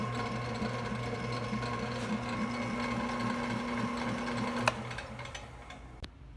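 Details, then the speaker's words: Possibly 1967 Delta/Rockwell 15-665 6 plus 6 drill press after rewiring and new belt replacing the old: even motor hum with light steady low rumble, no slapping, then winding down; runs smooth, previously rougher with old belt. "Sounds pretty smooth to me. It was a lot rougher when I was running the old belt on it, but with this new belt it seems to run really good, so I'm pretty happy with it."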